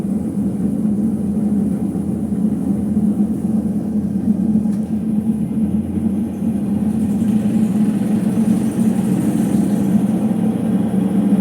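A loud, steady roar holds at one pitch as the drum spins at full speed; it sounds like worn drum bearings. Cause suspected, not confirmed.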